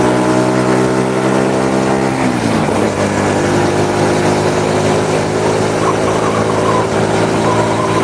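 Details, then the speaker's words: Honda Supra motorcycle shipped in by cargo in a box, after workshop overhaul of a badly damaged engine; steady rev dropping smoothly to a settled idle, even beat, no knocks: normal running. "kalau masih ingat sekarang dengar suaranya ah halus kenyes-kenyes larinya juga udah enak"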